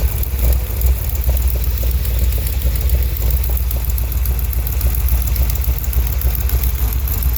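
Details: 1971 Chevrolet Cheyenne, factory 454 big-block on Jegs Bandit EFI, first start with cam believed broken in: deep lumpy idle with faint sharp puffing tick from an exhaust header leak at number two cylinder; coolant leaks also present.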